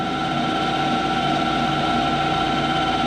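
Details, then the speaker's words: Clausing 5914 lathe on a brass finishing pass toward 3/4 inch: steady ringing whine over the cut despite several tool adjustments; tool chatter, owner suspects the insert. "so I have adjusted the tool a couple times it's still making that sound"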